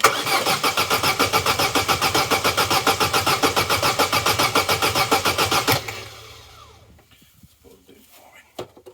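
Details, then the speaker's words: Vauxhall Corsa B that sat neglected 4-5 years, cranking after spraying flammable starting aid into intake: steady churning about six even beats a second for six seconds, never catches. Cranks but no start; spark check next. "I know well it's disappointing isn't it I wondered if with the air box on some Vapors Gather in that pipe"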